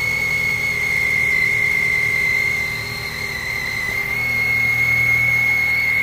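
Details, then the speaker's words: 2003/2004 Chrysler Sebring 2.4L at idle on first start after replacing both serpentine belts and the tensioner pulley: a piercing steady-pitch belt whistle from one side of the engine; switching on the AC made no difference and the noise mostly went away on its own. "well the belts are staying on but jesus christ that's whistling what is that i don't know sounds like it's coming definitely coming from over here"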